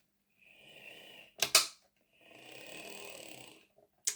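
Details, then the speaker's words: Heljan Class 23 model locomotive that ran slow and clunky, with a 3D-printed gearbox gear: short bursts of thin, buzzy high whir with clicks between runs, rough and uneven; motor centering suspected, printed gear possibly imprecise. "don't like that noise. Hang on a minute. Make sure this motor is centered."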